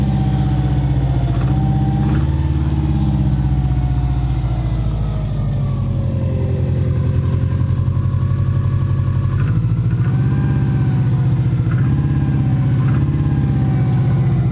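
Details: Subaru boxer built with Wiseco forged pistons, .0025-.003" piston-to-wall clearance, cold idle at about 2°F after -15°F night: hollow rhythmic knock under exhaust, piston slap; never fully goes away warm, louder in colder ambient temps.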